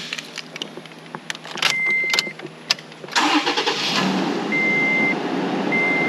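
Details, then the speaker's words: Toyota Tacoma after fixing a self-induced no-start (connector plugged into the wrong socket, ABS valve block reconnected, codes cleared): keys rattle, chime beeps, engine catches and settles into a steady, even run; normal start and idle. "freaking starts and it runs who's the goomba now that would be me but you know what i found it"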